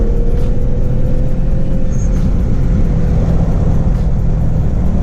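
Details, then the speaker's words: Rear-mount turbo G35 after fitting a new, longer boost coupler to stop pop-offs, on stock wastegate spring pressure: strong steady roar with a faint whistle rising as it pulls to about 5 psi, no coupler pop or hiss; healthy boost. "I was hitting like 5 pounds of boots pretty nice, right where I want it, and that's off stock spring pressure, so I should be Gucci for now. The couplers then pop off and the car sounds amazing, so sounds like a win-win, and sounds like the G is back."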